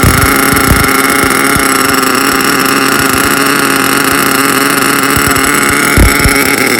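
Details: HPI Savage SS nitro RC car, first run in years after engine rebuild: high, buzzy, steady scream holding even revs throughout; engine running cleanly.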